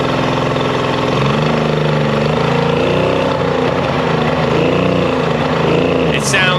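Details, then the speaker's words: Mercury 50 hp two-stroke outboard, after a full service and carb sync and link: running at steady low speed with a flat, hollow, uneven note, as if on one cylinder. Misfire from lost spark, traced to a failed CDI switch box. "Awfully flat. It sounds like it's only running on one cylinder, honestly."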